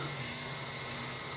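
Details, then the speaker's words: Small used practice amp turned back down from full volume: only a faint steady hiss with a soft low hum, no crackle or buzz; normal amp noise floor. "So let me turn it back down. There we go. But see, now it's pretty darn quiet."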